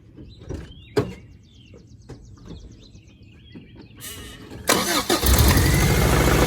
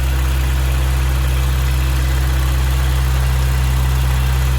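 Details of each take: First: 1992 Toyota pickup after the charcoal canister and emissions vacuum delete, with the VSVs unplugged: after light clicking the engine fires and holds a fast, steady high idle because one vacuum line is still disconnected. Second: 1992 Toyota Pickup after charcoal canister delete and vacuum line reconnection: smooth, even low rumble with steady beat, no misses or knocks; warmed-up engine at a healthy idle.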